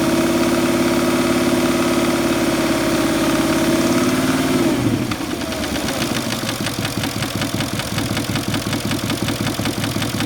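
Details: Porsche Cayenne engine: a smooth high-revving note drops to idle and becomes a fast, fairly regular tapping pulse; abnormal idle noise, cause unidentified.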